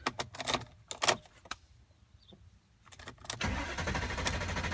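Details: 2003 BMW E39 540i with a brand-new battery, second key tried and fuses checked: a few key clicks, a pause, then a steady churning crank that carries on without the engine ever catching; cranks but no start.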